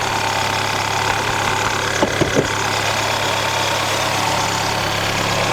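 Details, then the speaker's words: Car with intermittent stalling, dying randomly from ten seconds in to not at all, while wiggling harness plugs and the key with the engine running, cause not yet found. Steady even idle with light clicks; no stall occurs. "it'll just die at a random time anywhere between like I said ten seconds and not at all sometimes"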